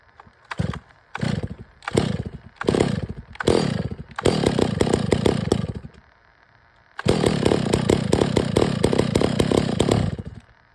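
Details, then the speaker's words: Stihl MS 660 chainsaw with a 32in bar, after the carburetor and air filter were cleaned to fix its failure to hold idle. A few throttle blips, then strong, steady full revs through two pine cuts without bogging. Normal running under cutting load. "I know it's just Pine but that was pulling it no problem the whole entire 36 32in bar man 660 that's a beast brother"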